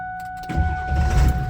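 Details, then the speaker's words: Late 1999 Ford F350 7.3 Powerstroke diesel just fitted with aftermarket high-torque starter (crossmember trimmed to fit): quick, strong cranking catches within a second into steady diesel rumble; normal fast start, much faster than original starter. "yeah truck fires right up I've never had my 7-3 fire up that quick"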